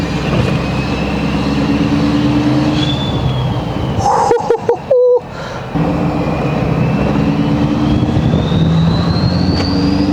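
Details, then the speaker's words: Ford 6.7L Powerstroke diesel with new 64mm Stage 2 turbo, driving: thin whistle climbs with engine, drops through a gear change, rises again; turbo spooling normally, more responsive than stock. "Oh my God, it literally sounds like the last 6.7 that we did with this. It is freaking nuts, boys."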